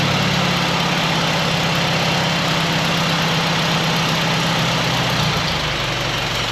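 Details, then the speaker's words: Restored 1959 D-17 tractor, first run after a tune-up and new exhaust, with the carburetor fed fresh fuel: a steady, even, low idle at about four beats a second with no knocks or misfires; smooth and healthy. "It sounds good. Nice and smooth."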